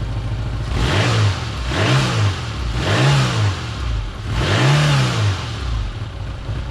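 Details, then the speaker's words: Holden Barina ML engine, runs rough after sitting; air cleaner off, carby bolts tightened, plug done: repeated short revs rising and falling unevenly, no clean steady pull, after a backfire. Rough running; owner suspects gases feeding back through EGR reed valve. "Yeah, actually it's performing pretty well, but it's a little bit rough"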